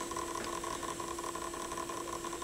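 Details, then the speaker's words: Pioneer PL-707 turntable drive motor, belt off: steady low hum with faint fast pulsing flutter, no knocking; motor noise source unclear, not the applied grease. "I can't figure out where that noise is coming from huh weird it's not from the the grease that was applied here strange"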